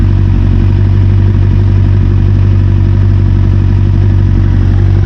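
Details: 1992 Kawasaki ZXR400 L2, sat for years: even steady idle, clean regular beat, no stumbling or hunting; runs perfectly.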